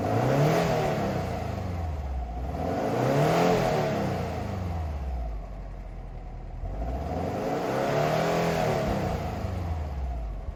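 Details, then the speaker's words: Low-mileage 2010 Subaru Forester XT turbo smoking heavily, revved hard repeatedly after adding oil: revs rising and falling with faint clatter underneath; cracked pistons and ring lands, burning oil. "this thing needs ringlands the Pistons are cracked it was smoking so bad like so bad"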